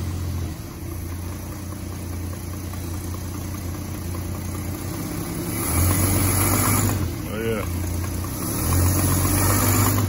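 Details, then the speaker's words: 1986 Dodge D150 Royal SE, 225ci six-cylinder, after a part on the new-old-stock carb was replaced with the old one. It idles evenly and picks up cleanly on two throttle blips with no stumble, so it runs normally. "I actually took the whole top the carburetor off I could see the gas brain in so now it's actually run and going in fired up"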